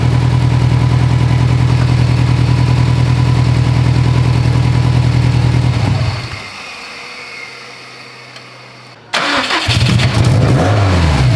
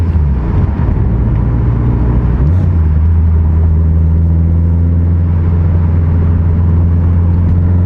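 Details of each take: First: Built Subaru STI idling after the wiring harness was tied back off the up-pipe: uneven, stumbling exhaust beat, then shut off and restart; misfiring again. Owner suspects a poor contact at the engine-to-chassis main harness connector. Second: Built Subaru STI (forged engine build) on a test drive after fixes: deep, smooth, steady drone settling to a lower even note. No cylinder roughness, AVCS readings normal, no knock, AFRs good under boost; running normally.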